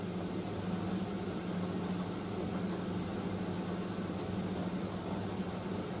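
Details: Indesit IS31V 3kg compact reversing tumble dryer drying a load including a cover, drum reversing about every 70 seconds to stop tangling, before final cooldown; steady drone, low motor hum and soft tumbling, no knocks or squeals, running normally.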